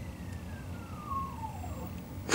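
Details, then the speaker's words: Wells Gardner K4600 19-inch arcade monitor with triple image: thin high horizontal oscillator whine slides downward, "tires screeching", as the adjustment is turned toward the correct oscillation. "hear the oscillation sound change here you don't hear any high-pitched any high pitch noises but as I get closer to the correct oscillation listen"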